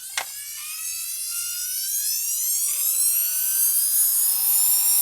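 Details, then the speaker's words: Nail file drill after repair of a faulty transistor: a high whine climbing smoothly as the motor spins up and stays even; the motor runs normally, though the owner hears a bearing noise needing oil. "there is it so it was the step one for two transistor that's faulty but you can hear this thing makes a noise is that bearing I'll just have to oil it again"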